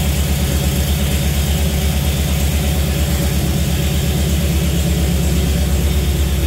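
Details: Jeep CJ5 with Holley EFI, engine before break-in: deep steady idle with an even pulse and no knocks, ticks or misses; oil pressure 55–60 psi, no leaks.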